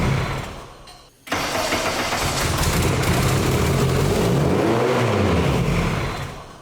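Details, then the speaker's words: K24A2-swapped Nissan Cefiro with T56 Magnum, first start with exhaust, no coolant yet: cranks and catches, then revs flare to about 3,000 rpm and hang instead of settling; drive-by-wire throttle adjustment suspected; high idle on startup. "If it weren't for one pesky issue that we're having, for whatever reason, it just wants to rev to like 3,000 RPM on startup."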